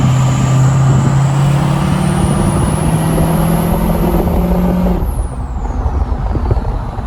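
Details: Ford 6.0 Powerstroke King Ranch at idle with a new KC Stage 2 10-blade VGT turbo in relearn: a high whistle climbs steadily for about five seconds as the vanes close, then eases to a deeper tone as they open. Normal turbo whistle.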